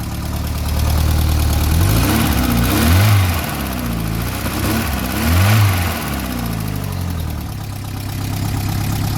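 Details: Classic VW Scirocco started for the first time after sitting 6 years, after first start attempts, oil smoke smelled; steady low idle blipped twice, rising and falling smoothly with no knocks or misses, running fine.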